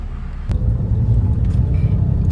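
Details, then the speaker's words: Suzuki Karimun climbing a hill with AC on, after workshop screwed down a loose dashboard plate that caused a cricket-like buzz; steady low engine drone, no dash rattles, pulls strongly. "Nah, harusnya Karimun kuat ya. Dan ternyata emang kuat. Dan ini masih pakai AC loh."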